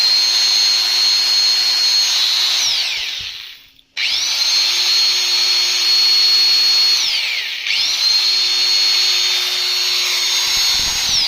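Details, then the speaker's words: Angle grinder after gearbox servicing, spinning up under load: clean, steady high whine that coasts down and restarts evenly with no grinding or rattle. Revs rise and it does not heat. Healthy gearbox. "послушайте Да в нагрузку поднимаются обороты не греется"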